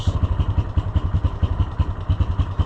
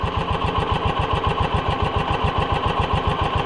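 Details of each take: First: Yamaha Rhino side-by-side, hot engine: low idle with a loping clatter of roughly nine uneven knocks a second; it accelerates well but idles poorly and can stall, cause not yet known. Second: Side-by-side with power bed, idling smooth and even at three to four pulses a second with no misses; runs well but very low on power and sluggish, fuel delivery to be checked.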